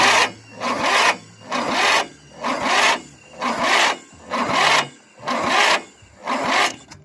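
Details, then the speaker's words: Briggs 12.5 hp engine after valve clearance adjustment (valves shortened about 0.2 mm), previously weak compression and no start: starter slows and labours on each compression stroke, about once a second; normal strong cranking compression. "kompresja taka że Kur zapiał rozrusznik nie może dać rady teraz"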